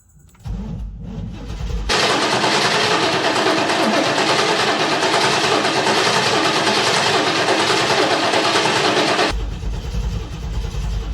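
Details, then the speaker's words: 1989 Pontiac Trans Am GTA unregistered for 17 years, given starting fluid: steady fast cranking of about three beats a second for roughly seven seconds, never catching. Crank, no start; the starter sounds unhappy and injectors are suspected, not confirmed. "That starter seems very unhappy to me. And I think what we're going to have to do is we're going to have to uh shock some injectors."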